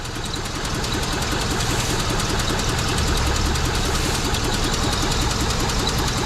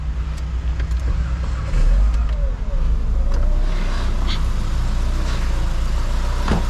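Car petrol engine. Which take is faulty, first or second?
first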